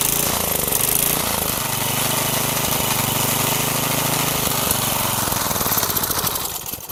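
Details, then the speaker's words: Garage-sale gas edger after carb cleaning, with the fuel-air mixture screw backed out from fully in: the small engine buzzes smooth and even at steady speed for several seconds, then winds down. It is running properly, though it still needs a little fine tuning. "All right, she's running. Whew. Took a little while."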